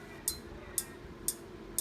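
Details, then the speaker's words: Induction cooker switched on to boil water fails to heat: sharp bright clicks about twice a second, buzzer beeping, no error code shown; no burnt parts seen on board after disassembly. "カチカチと音がしますね鍋を減らすことができます加熱できません"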